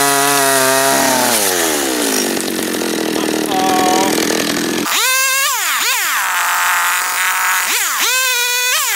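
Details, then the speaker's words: John Deere EV45 two-stroke chainsaw, made in Japan, after a carburetor rebuild, cutting wood. It bogs into the cut, then revs cleanly up and down with crisp, quick pickup. The saw is running healthy. "let it run let it sit there and run for five ten minutes maybe idle it and then juice it and see what happens"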